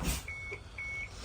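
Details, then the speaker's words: Prevost bus in accessory position, high-beam stalk pulled three times: two steady quarter-second high beeps signalling exterior light check mode for pre-trip walk-around, including backup lights and backup horn. "That puts the bus in a light check mode. You hear the beeping. That tells you that it's checking all of the lights."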